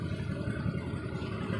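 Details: Honda Vario automatic scooter after fixing a low-rpm stutter; on the test ride an even low putter with no hiccup or hesitation, responding instantly to the throttle: normal idle and throttle response.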